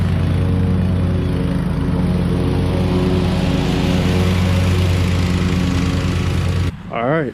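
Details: Hustler Super Z mower, Kawasaki engine with 1900 hard hours, test run after 66-inch deck rebuild with new components: steady, even engine drone with smooth low beat, no deck grinding or scraping; normal running.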